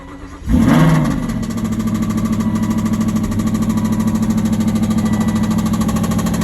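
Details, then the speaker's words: 2008 Aston Martin V8 Vantage 4.7, average mileage and condition; starts and settles to idle with a deep, steady knock of about three a second from a failed big-end bearing, needing a crankshaft, rods and possibly pistons. "we've got a 4.7 2008 car here it's of average Mars and average condition and it's got a big M bearing failure as you can hear from this video"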